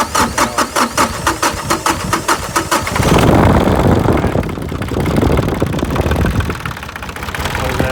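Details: New Holland tractor (TC33) that sputtered and stopped, after a new fuel filter and fuel line and bleeding air at the bleeder bolt; slow chugging crank, then it catches and settles into a steady diesel idle.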